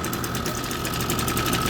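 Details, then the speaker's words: Echo SRM 225 two-stroke string trimmer with a clogged muffler: flat, rough buzzing with a steady fluttering sputter, never picking up revs; no exhaust felt behind muffler, fuel spitting back out the air filter side. "A lot of times you'll notice that it's just saturated because it's actually spitting the exhaust right back out here. It's just spitting the fuel out."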